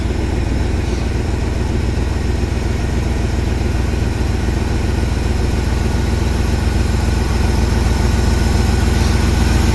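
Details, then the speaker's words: 1979 Jeep Cherokee with an AMC 360 V8, first start after sitting over three years, power steering fluid found bone dry: deep, steady V8 burble at idle with even pulses and no knocks or misses. Normal smooth idle. "Man, she sounds good. I wonder if she's got any power steering fluid in it. Oh, she's bone dry on power steering juice. I'll get some of that in it. That's a smooth running little 360, guys. That's pretty good for not having ran for 3 years."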